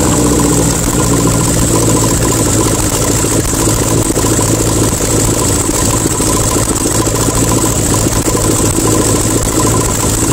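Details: 1972 VW Super Beetle, Solex 30 PICT-3 carb, electric choke readjusted (it had been too tight), no exhaust fitted, after a cold start: a loud, raw, steady idle held slightly high on the choke. The engine runs evenly.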